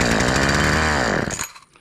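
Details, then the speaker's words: Homelite chainsaw that had sat unused about four years, dirty: with a shot of starting fluid it bursts into a rough buzzing run for about a second, then dies; carburetor fuel delivery fault suspected, carburetor later replaced. "it fired up so man everything's working right may have to see what's going on with this carburetor and everything but everything else appears to be hitting just right"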